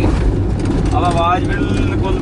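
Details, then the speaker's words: Car being driven in second gear after first gear was pushed to high speed: low, steady engine hum at moderate revs, no straining roar; the high-rpm noise heard in first gear stops, engine normal. "यह देखो आवाज आ रही है आपको यह आवाज बिल्कुल बंद हो जाएगी यदि हम दूसरा गेयर डाल देंगे"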